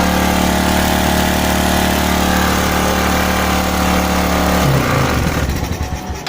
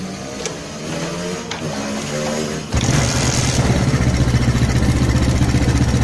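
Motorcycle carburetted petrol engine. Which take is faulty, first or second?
second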